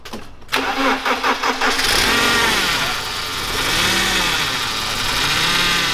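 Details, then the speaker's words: BMW E30 engine start after fuel leak repair (fuel line and O-rings fixed): starter cranks briefly in even pulses, engine catches cleanly and settles to a smooth steady idle; normal start, though a power steering fluid leak was found afterward. "then Steve came up with this great idea that we should fire the engine up so that way you guys could really hear how good it runs."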